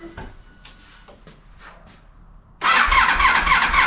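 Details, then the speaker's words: Old sport touring motorcycle (no key or title, ex-towing company, battery borrowed from a 1100) started after revival: clicking and handling, then it fires instantly into a crisp, even idle pulse of about four beats a second; healthy start. "it sounds really good when it's running"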